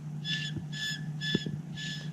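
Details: Old AC condenser fan motor, loose and sitting off its mounting notch at a wrong angle, possibly just old: high whistling squeal pulsing about twice a second as it turns, likely a dry bearing.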